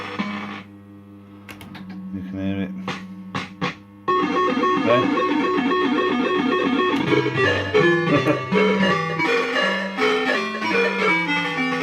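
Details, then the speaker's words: System80 machine whose sound plays up only once warmed up after running a while; tune with some notes clean, others crackly and muffled. Owner suspects the socketed three-voice sound chip failing, one voice gone; unconfirmed. "The sound's not as clear as it should be. See? Hear all that? Like a crackly, muffly sound."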